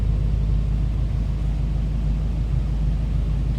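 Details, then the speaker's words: 1949 Ford Club Coupe with V8: deep, steady exhaust rumble with even pulse and no misses or knocks; smooth, healthy idle. "Told you it sounds good."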